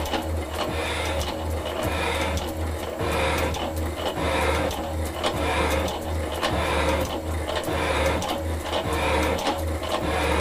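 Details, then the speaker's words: Metal shaper cutting a cast-iron block at a higher stroke-speed setting: even strokes, about fifty a minute, each a clean scrape and return. The clapper box hops fully, with some harmonics audible. "that clapper box now is hopping all the way but you can hear some of the harmonics now"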